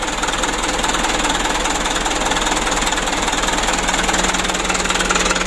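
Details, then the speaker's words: Mitsubishi Canter diesel after injection pump plunger replacement and pump adjustment: even clatter at about 600 rpm idle, regular pulses, no misfire or knock. Normal diesel idle, repair completed. "ini tinggal sedikit lagi ya nanti kita lempengan sedikit lagi untuk rpm nya ini sudah bagus 600"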